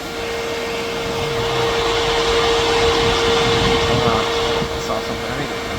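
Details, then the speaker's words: 2026 Can-Am Outlander electric ATV after the hot-coolant warning came on: a steady, even fan whoosh with a clean tone near 450 Hz, no rattle or wobble; the radiator fan is running normally, and the front gearbox is a little warm. "Um, but everything's cool. As far as I know, it's working like it should."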